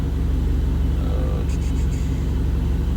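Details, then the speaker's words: Freshly built Mitsubishi Eclipse GST turbo engine, idle surge from vacuum leak fixed after boost leak test and BISS idle screw adjustment at normal temperature: steady low idle near 1000 rpm, no hunting or surging. "But I mean, everything's running smooth. Just trying to sort out all these little small issues."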